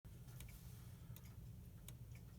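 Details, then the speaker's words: Gilbert 8-day bim-bam banjo clock on test stand after repair, cleaning, assembly and adjustment, run dry 24 hours, now oiled with tension springs attached: crisp, steady, even ticks with no skips; running well. "the clocks oiled so it's running pretty well it came out early nice"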